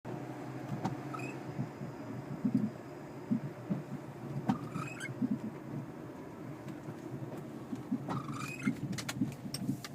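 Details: 2001 Oldsmobile Alero front end while driving: irregular dull clunks and thuds, started after replacing tires and struts; hubs, stabilizer links also replaced and strut mount nut tightened, cause not found.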